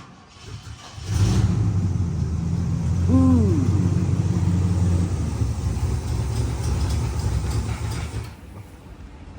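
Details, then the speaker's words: 1970 Pontiac LeMans parked for 30 years fires and runs rough and low for several seconds, then fades and dies; starts but stalls, owner suspects because it is cold. "it sounded good for a minute okay I think it's cuz it's cold cuz we let it warm up quite a bit"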